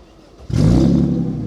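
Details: 1995 Mercedes E320 S124 wagon on test drive, muffler not yet fitted; sudden deep raw booming roar as throttle opens under load, loud unmuffled exhaust from missing muffler.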